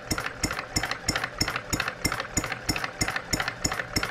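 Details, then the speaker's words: Stirling Kit hot bulb horizontal mill engine, new out of the box, running about 15 minutes and getting warm; slow even thumping about three beats a second; the knock-like sound is the water pump check balls, a normal healthy idle. "it sounds like it's knocking but it's our check balls down here in our water pump how cool is that guys"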